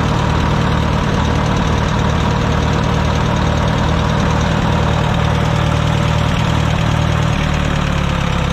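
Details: Wisconsin VH4D engine on an abandoned Bandit model 65 wood chipper, started after engine repair and copper washers replacing neoprene ones: steady, even low drone with no knocks, misses or rattles; starts up great, runs really well.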